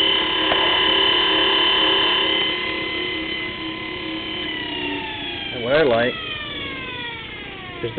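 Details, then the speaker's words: 24-volt forklift DC motor, no permanent magnets, salvaged after a burned-up brush, run off a battery: steady electric whine with clean tones easing down as it slows, no brush crackle; brushes no longer spark, normal DC motor run. "brushes aren't sparking anymore"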